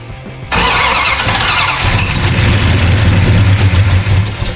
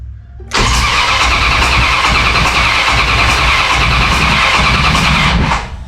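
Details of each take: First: 1969 Dodge Charger General Lee restoration, freshly installed engine, first start on gas poured into the carburetor: sudden catch then loud ragged rumble with uneven firing, running briefly; first start on carburetor prime. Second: 1969 Dodge Charger under restoration, first crank test with battery fitted: strong, even starter cranking about 160 pulses a minute for five seconds, never firing, before fuel is poured into the carburettor and the coil hot-wired. Normal cranking, no start.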